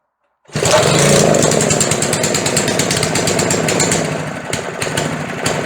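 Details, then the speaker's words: McLane edger with older diaphragm carburetor, not run for a while: two-stroke buzz roars near full speed, sags almost to stalling, then picks back up; surging, owner suspects throttle linkage hanging since it was either wide open or not at all. "ऐसा लगता है कि हम अपने linkage पर थोड़ा सा लटका सकते हैं क्योंकि वह या तो खुली हुई थी या बिल्कुल नहीं।"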